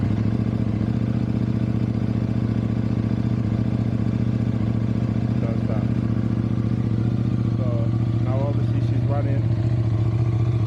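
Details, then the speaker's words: KTM 790/890 Adventure twin, cold at 14 degrees on the gauge, after double priming: steady low starter drone with even cranking pulses, not catching; slow cold start, owner suspects spark plug. "Obviously it's cold, temperature is 14, it's saying on the gauge. But yeah, she's taking a bit long to start."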